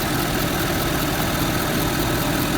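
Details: Ford turbo diesel truck, recorded under the hood: steady, even diesel clatter at idle with no odd knocks or misses, a healthy-sounding engine.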